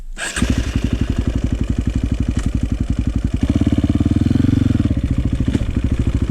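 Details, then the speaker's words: 2004 KTM 450 EXC with Keihin carb, sat 6 years, on a woods test ride. Uneven blubbering single pulses stumble and bog as the throttle rolls on off idle, a rich stumble; fuel screw suspected too rich. "Still a little bit of a stumble off the bottom. Don't like that."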